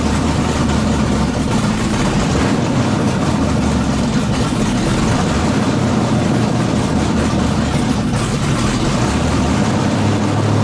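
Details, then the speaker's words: Junkyard LQ9 6.0 LS V8 swapped into a Chevy S10, first start with no coolant and the MSD on a default setting: loud, lumpy idle with a wandering uneven thump; runs rough, needs tuning for a better idle. "It sounds like it's going to be rowdy. Definitely got some tuning to do, kind of stuff to play with it to get it to idle better."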